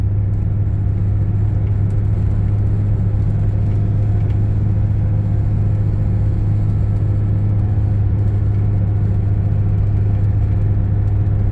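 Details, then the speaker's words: Toyota Hilux 2.5 diesel 2008, 284,000 km, cabin recording at steady 50 km/h: heavy constant low droning boom; strong whole-vehicle vibration, believed to share its source with a bearing noise heard at 80 km/h. "vamos voltar agora aqui de novo e vocês vão e vou novamente ficar a 50 por hora para que vocês tenham noção da vibração vibra até a sobrancelha"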